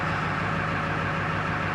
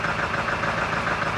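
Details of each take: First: 1999 Ford F-250 7.3L Powerstroke diesel, 26°F, after fuel pump replacement and purging air: deep idle now steady and even with no stumbling or dying, looking a lot better than the earlier rough shaking. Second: 1999 Ford F-250 7.3 Powerstroke diesel just after fuel pump and fuel filter replacement, started with throttle; slightly uneven, lumpy, shaking idle as air is purged from the fuel system; rough idle from air in fuel system.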